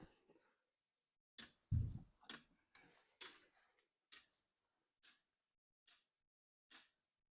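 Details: Unboxed diesel heater, first start out of the box: some handling noise, then soft single ticks about once a second from the fuel pump as the heater starts and its fan runs; normal.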